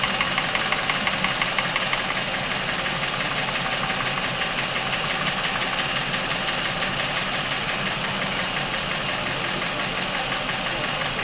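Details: Chevrolet Epica engine past 200,000 km, with top-end noise that appeared suddenly, warm at operating temperature: steady idle with fast even tapping, worn hydraulic lifters and camshaft noise, treated with a dimexide oil flush.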